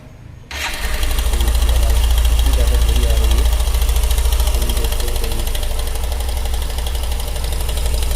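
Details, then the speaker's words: Hero Super Splendor BS6 single-cylinder at idle, before adjustment: light metallic chatter over the low thump, steady with the engine beat; timing chain very slack, to be tightened. "आप लोगों ने देखा कितनी बुरी तरीके से timing चैन की आवाज ए रही थी"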